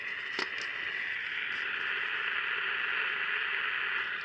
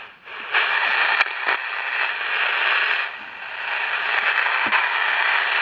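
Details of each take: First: Candle battery pocket radio sent in for repair. Constant crackly hiss with occasional pops and no stations received. The amplifier works; the repairer suspects the oscillator is not oscillating properly or at all. Not confirmed. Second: Candle pocket radio after repair, with two parts changed and only the big one found bad: steady station music from a small tinny speaker with only the odd faint crackle; the noise is gone and reception is normal.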